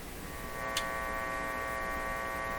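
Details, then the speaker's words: Philco 38-C7 tube radio, warmed up for IF alignment: steady hum with stacked low-to-mid tones, unchanging, induced just by a test wire's placement; source not yet fully found. "so just having this wire here is enough to generate a bit of a hum you can still hear it"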